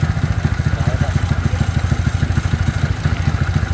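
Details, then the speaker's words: Yamaha Mio scooter engine idling after CVT service (new rollers, sliders, original clutch shoes, belt) still rough, rasping "ngeresek" sound; camshaft bearing found badly worn, camshaft already modified; caught before failure. "Ternyata lahar nokan asnya yang amburadul. Pantesan ngeresek ya, suaranya kasar banget."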